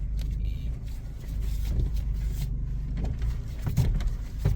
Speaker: You see, the problem has gone away completely. It's just too much torsion in there because the strut mount bolts were tightened while the car was in the air, and that is why you should never do that.